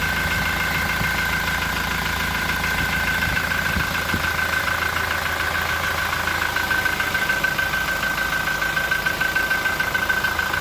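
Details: Toyota Innova Reborn at idle: a thin, high cricket-like chirp repeats three to four times a second, coming and going. It appears once temperature rises and rpm drops after warm-up, seems not to be from the engine bay, and comes from an exhaust gasket leak.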